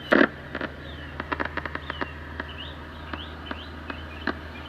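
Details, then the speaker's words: 1960 Sylvania Dualette tube TV powered up on a variac at 85 volts, 115 watts, B+ near 250 V, filter capacitor reforming, tubes warming: quiet hiss with scattered pops and crackles, static from the speaker; electrolytic capacitors still bad. "let me go back to the other camera you can see our tubes getting hot we have static from the speaker"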